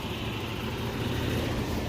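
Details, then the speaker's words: Toyota 22RE four-cylinder truck idling at operating temperature after repair of erratic high idle (previously stuck around 1700 rpm) and overheating; steady, even low rumble, now a normal idle. "as you can see trucks running beautifully no more weird idling crap"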